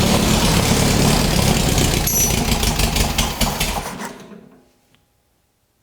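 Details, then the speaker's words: Rebuilt 1600cc dual-port VW engine in a custom dune buggy on a shortened 1973 Beetle chassis, first start attempt: ragged, loud cranking with uneven firing that fades out after four seconds; fuel reaching it, owner thinks it's really flooded. "a little bit of something oh I think it's really really flooded now"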